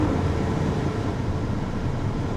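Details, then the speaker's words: Auction 4x4 truck with 230,000 miles, just started, good oil pressure and voltage; light rev gives deep, even engine note with no knocks, ticks or misses, sounds healthy. "let's give her a little Rev sounds good"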